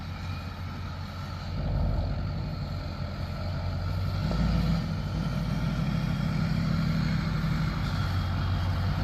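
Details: 2005 LLY Duramax diesel started after rebuilding the leaking factory fuel filter housing and bleeding air from the lines; deep even clatter settling into steady idle, no stumbles or misses, no leak: repair fixed, healthy idle.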